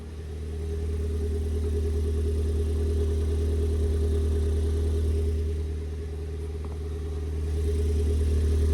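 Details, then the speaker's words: Ford Fiesta ST180 after replacing the in-tank fuel pump, rear exhaust back box not yet refitted: starts with no engine warning light and revs smoothly with a strong, steady low note. No misfire or knock; healthy running. "We started. No engine warning light. Let's find out what it sounds like."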